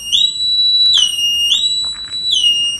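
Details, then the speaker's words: 1986 Opel Manta Berlinetta under rebuild, engine not yet run: loud high electronic siren tones sweeping up and holding, repeating about every second, as the alarm trips on battery reconnection. "you can hear we've just connected the battery and that's the alarm going off and that is that's horrible"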